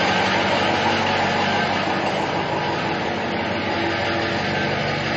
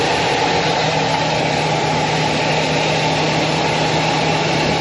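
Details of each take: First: 2006 Ford F-550 4x4, 6.0 L diesel, idling after a drive, heard walking around the exhaust: loud steady rushing hiss over even idle; owner suspects a plugged catalytic converter, not confirmed. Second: Owner's previous truck, a diesel, started after sitting a couple of days: steady, even diesel clatter at idle, no knocks or stumbles; sounds really good and very smooth.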